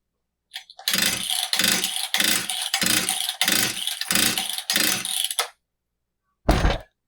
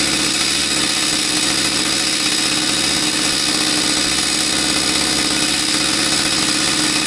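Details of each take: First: Husqvarna 66 chainsaw with fresh fuel and new fuel filter, choke working: six rasping starter-cord pulls, turns over but never fires; cylinder still dry, not pulling fuel, impulse port or carburetor internals suspected, not confirmed. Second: Husqvarna 66 chainsaw with a high, buzzy two-stroke note holding steady and even, running cleanly after a no-start caused by the crankcase impulse signal not driving fuel delivery was fixed.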